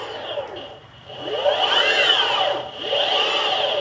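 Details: Boosted Board Mini X after motor replacement and belt re-tensioning, with the motor guards refitted: a smooth whine rising and falling with motor speed, a steady high tone and no clicking at any speed; the motors spin normally.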